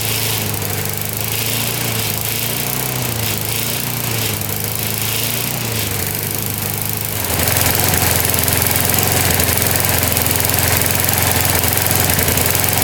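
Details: Older Briggs & Stratton 3.5–4.5 hp mower engine with carb on metal tank, after carburetor diaphragm replacement and cleaning, primed: fires and settles into a steady beat, then picks up to a louder, even run with no misses or stumbles. Normal running.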